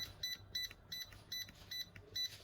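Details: Yamasu laser level keypad after cleaning and re-sticking the button membrane: short crisp high beeps about every quarter second, each press registering cleanly. Normal keypad beep.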